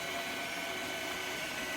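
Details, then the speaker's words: ELEGOO Mars 5 Ultra 9K resin printer: the Z-axis stepper motor whirs on without pausing when homing and will not stop at its set point, heading for the screen; the owner thinks it is broken. "Yeah, and then when I go home, it's supposed to be stopping right here, but it's not stopping. So I need to stop before it hits the screen."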